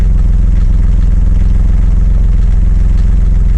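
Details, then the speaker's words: Yanmar F16D compact tractor (1983–86, 1.0 L three-cylinder 20 hp diesel): fast, even diesel clatter with a regular beat and no stumbling; idles cleanly and runs well. "Runs really good, as you can tell."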